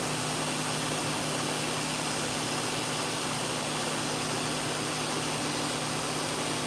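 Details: Dog-grooming clipper after its blade socket was squeezed to reduce play: steady even buzz with a constant hum and no rattle or clatter; quieter, running smoothly.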